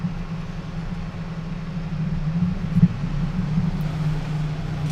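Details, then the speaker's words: Enermax LiqTech 120x all-in-one liquid cooler's twister fan, microphone very close, switched from silent to performance mode: steady, even low hum with a smooth airflow rush and no ticking or rattle; fan running normally at high speed. "we go, so we're actually in performance mode, and that's a very, very nice amount of airflow coming from that fan."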